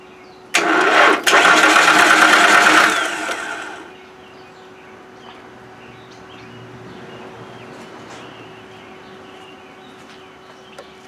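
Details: 1995 Nissan first start attempt on a small, old battery reading low voltage, with a spare ignition coil: about three seconds of steady cranking, then stops with no firing; crank no start, cause suspected, not confirmed.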